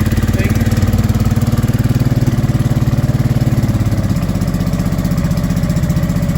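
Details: Honda Deauville NT650V5 twin just started after carburetor strip and new carb head rubbers: fast, even thrum well above normal idle, still on a lot of choke; timing still needs adjusting.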